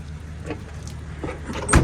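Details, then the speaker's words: 2000/2001 Jeep Cherokee XJ, 2WD, 4.0L, about 177,000 miles: power window motor hums briefly with soft clunks as the glass travels and stops, smooth with no grinding; windows work normally. "look good. The windows work, y'all. Okay, this is all good stuff."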